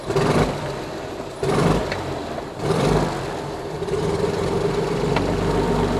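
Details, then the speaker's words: Cirrus SR22 aircraft engine, abandoned for 11 years, first run after bleeding the injector lines: low, even idle right at about 1,000 rpm after a few throttle swells, with good oil pressure and no misses or knocks. Normal idle. "oh man it's running perfectly smooth man it sounds so good we got good oil pressure the oil temp is uh you know it's just hot out here today"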